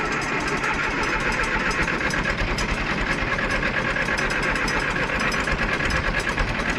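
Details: 1968 John Deere 500A diesel tractor (industrial 3020), parked over 10 years on old fuel: lumpy clatter, speed won't settle, no power, then dies on its own; rough unstable running, diesel dripping from injectors, owner suspects brittle rubber injector boots.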